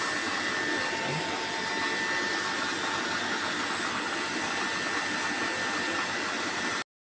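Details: HPMONT HD30 inverter drive that previously would not start at all, load test after repair: even, steady whirr with a faint high electronic whine, no pitch change, surges or cutouts; drive running the motor normally.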